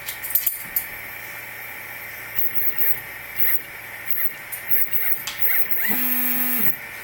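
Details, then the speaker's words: Replikeo Prusa i3 Z motors, unloaded, jogged manually from the LCD on uncalibrated Replikeo Marlin firmware; motors not hot, other axes fine. Irregular buzzing bursts and stalled tones, turning and pausing, stopping on larger moves. Stepper motor stuttering. "It's like they go, you know, turn, and they pause, turn, they pause, turn, they pause. If you go too much, they just stop."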